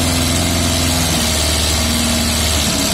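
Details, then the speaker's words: Yamaha Fazer FZS 600, 29,000 miles, off the road since 2006, first run after refuelling and an oil top-up: lumpy idle with a light, fast tappety ticking over the engine note; owner thinks it's normal until the oil circulates. "does sound a little bit tappity, but I think that's quite normal at the moment because it hasn't run well."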